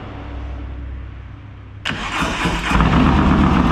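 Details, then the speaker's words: New 143ci Harley Lowrider S build (APE CR515 cam, D&D Lowcat 2-into-1, primed lifters) on first fire-up with the base map running very rich. It cranks, catches, and idles lumpily with light ticking as lifters bleed up oil pressure. Lifter tick on first start. "Well, the first fire up went well. Obviously ran and all that. You probably did hear the little bit of lifter noise there as it was still bleeding up oil pressure."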